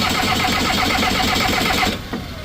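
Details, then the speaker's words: Skid loader diesel, broken down in cold weather, cranks steadily with an even churning rhythm but never catches while fuel lines are bled; a ton of air in the fuel, no start. "Crank it now. Getting fuel. We got a ton of air."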